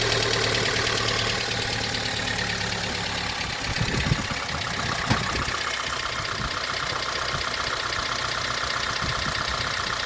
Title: 2006 Honda Element K24A4 engine, louder engine noises after valve adjustment